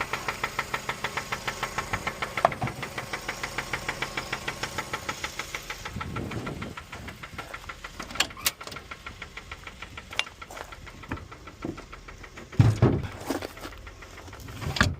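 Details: Mazda 3 petrol engine idling while running without a battery: a sharp, steady knock on every turn. Suspected rod knock, unconfirmed.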